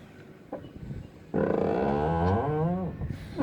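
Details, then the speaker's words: 2017 Dodge Ram 1500 door gives a loud, drawn-out groaning squeal as it swings, then a thump as it shuts; inherent hinge squeal, fixed by applying anti-seize, lasting about six months. "20-17 Dodge Ram you guys know that these trucks have an inherent door squeal you hear that"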